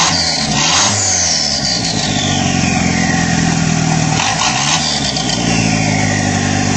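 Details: Mitsubishi Starion G54BT turbo engine running with no downpipe fitted, very loud raw rasping crackly exhaust note, turbo dumping straight out.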